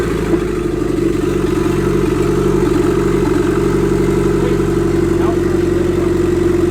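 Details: Restart of a freshly SR20DET-swapped S13 coupe after its first start: loud, uneven note with lumpy pulses and rev blips, running rough and untuned. Timing and idle still need adjusting, the downpipe is unfinished, and a boost leak is suspected.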